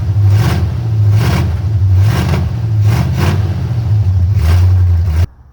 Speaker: I need to adjust the timing a little bit it sounds like it's missing uh let me check firing order real quick here